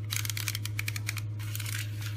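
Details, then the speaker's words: Ford clockspring removed from behind the steering wheel and turned by hand gives loud, irregular plastic clicking and rattling as it breaks up internally. "hear all that like clicking noise shouldn't be making that noise at all"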